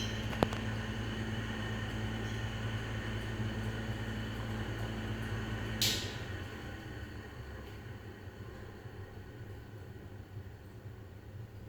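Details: Lenco-Middy's style 3 exhaust fan with bad bearings: low, rough rumble under steady fan whir fading as it winds down after about six seconds; fan is on its way out.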